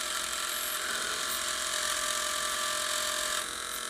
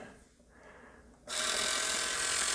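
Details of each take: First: Tire Razor tire truing machine motor on a regulator at about 7 volts, just after oiling the bearings: steady fine high-pitched whir with even hum that softens as oil takes effect; normal, quieter running after lubrication. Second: Tire Razor slot-car tire truing machine with broken-in motor running on a regulator: loud steady high-pitched rough whirr from dry bearings, which gets much quieter once the bearings are oiled.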